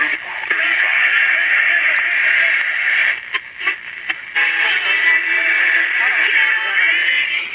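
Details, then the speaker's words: Sony TR-650 shirt-pocket transistor radio after repair (speaker grille had been pushed in), tuning with normal reception: clear, steady music and voices, no crackle or buzz, a little skip with two stations overlapping; sometimes works better without a hand over the antenna. "Little bit of skip. Got a couple of stations together right there. I noticed these little pocket radios. Sometimes they work better if you're not covering a hand over the antenna."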